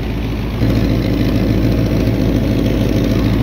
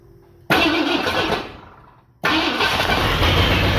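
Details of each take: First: 1978 Ford F100 auction truck after oil change and timing set, warm idle: deep uneven V8 rumble with raspy puffing from exhaust leak; oil pressure, temperature, alternator fine, transmission full. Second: 1978 Ford F100 V8 revived, charging at 13.2 V and running on some bad gas: the starter cranks briefly and the engine catches into a steady, even idle with no misses or knocks.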